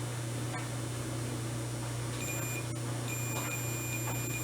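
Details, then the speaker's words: Volt-ohm meter set to diode/continuity: clear steady high-pitched beep once the leads touch, over faint mains hum; continuity tester working properly. "yeah that's the reading you should get okay we're good"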